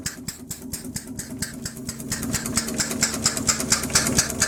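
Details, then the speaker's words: Homemade steam engine built on a Villiers two-stroke crankshaft and flywheels with a bronze cylinder, running on only 10 psi: crisp, even exhaust chuffs at roughly two per second, no knocks between beats; healthy. "That's obviously the exhaust you can hear there."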